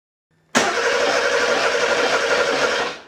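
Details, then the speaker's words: Porsche 911 Carrera 3.2L flat-six on an engine test stand, sat for a while: starter spins steadily for a couple of seconds but never fires; fuel pump runs, but no spark and no ECU trigger signal on the coil. "so let's try see if we have any spark no spark fuel pump is turning on though which means this ecu is getting some signal but we still need to diagnose why there's no spark"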